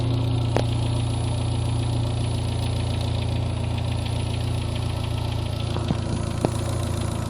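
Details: Neon 2G at idle: steady low rumble with an irregular light rapping and an occasional clack; abnormal engine noise, source unclear.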